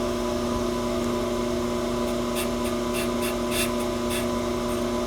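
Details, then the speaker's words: 2011 Range Rover Supercharged brake rotor on a brake lathe, vibration-damping belt fitted, inserts barely touching the surface: the cut comes in intermittent hissing bursts over the steady lathe hum instead of a solid stream, so the rotor is warped or out of round. "But if it's out of round or warped, it's going to be intermittent like this."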